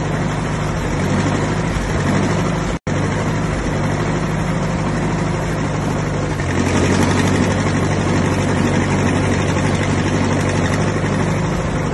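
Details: 1959 Massey Ferguson 85 tractor, first start in 5 years after new points, cleaned carburetor and new solenoid: low, steady chug at a regular idle with no knocks or grinding; running normally.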